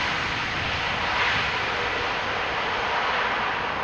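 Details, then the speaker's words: Delta Airlines A330, 18 years old, on landing rollout at Amsterdam Schiphol runway 18R using idle reverse thrust: steady jet roar with hissing top end, normal idle reverse, not full reverse. "Now, this was idle reverse,"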